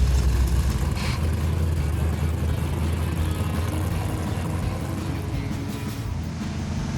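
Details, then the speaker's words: Carbureted V8 car on the road after a smaller accelerator-pump squirter was fitted; it had been running rich with black smoke. A deep, even V8 rumble under steady cruise with no stumbling or popping. It fires right up and runs much smoother. Normal running. "Car's running great. It is way smoother."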